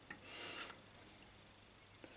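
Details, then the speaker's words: Transportel electric transport moped double-chain sprocket bearing assembly, removed and turned by hand, brief dry scraping rub from a washer in the middle: washer rubbing in sprocket bearing assembly. "okay there's a washer in the middle that's what's making that noise"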